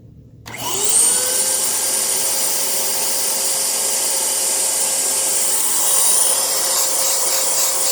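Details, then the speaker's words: 2002 Dyson DC07 vacuum running with bin removed: steady airy rush with a thin constant high motor whine; still runs and sounds fine, and it is suspected to be straining because it needs a new HEPA filter. "it has a little bit of a wine but it still sounds perfectly fine there's not anything out will be wrong with it"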